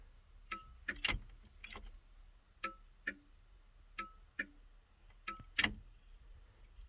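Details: 1971 Datsun PL521 (1600) pickup cab with the turn signals switched on: crisp tick-tock clicks repeat steadily, about one pair a second, over a quiet cabin, so the flasher is cycling normally.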